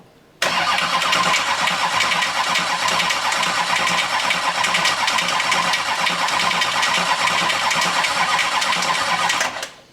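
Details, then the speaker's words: 6.6L Duramax diesel swapped into a Jeep Wrangler, hot-wired with the van harness for its first start in the chassis: nine seconds of even starter cranking that never catches, because the fuel pump fuse is blown and the pump is not running. "Well, we found out our fuel pump fuse is blown. So, we're going to get that changed."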